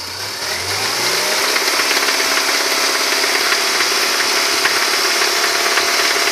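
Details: Engine just given a timing chain kit, cam, tappets and followers fine, revved and held: fast metallic rattle three to four raps a second; lower-end knock, owner suspects big end bearings.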